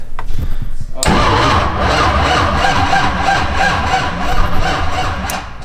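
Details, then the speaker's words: Nissan 350Z rewired from scratch with MegaSquirt, cranked by jump rather than key: starter whirs steadily but lazily, turning the engine over too slowly to fire, better than before; slow cranking, owner suspects a missing chassis ground. "that was way better oh yeah dude much better it definitely wasn't cranking fast enough but it was definitely cranking"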